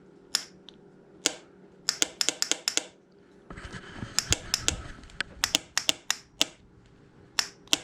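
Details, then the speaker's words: Johnson 35hp outboard that sat 15 years, starter tested by push button: several sharp, dry clicks with no starter spin. Starter solenoid clicking, no crank. "when i hit this button we should either hear a click or hear this starter turn over"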